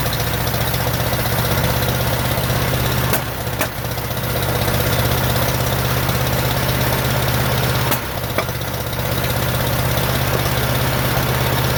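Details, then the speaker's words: 1947 Farmall M after rebuild: lumpy, uneven idle with irregular thumps about three a second, running on only two cylinders with no power and carburetor popping; later traced to reversed plug wires. "it also doesn't have any power because it seems to be running on only two cylinders"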